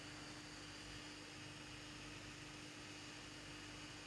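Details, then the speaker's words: Small 12V smoke-generator blower turbine under 1K variable-resistor speed control, run at full power: steady high whoosh with a fixed hum and no squeal, whine or rattle; normal blower running smoothly. "то есть вот я кручу регулятор можно смотреть то есть видно как он даже шумит слышно вот"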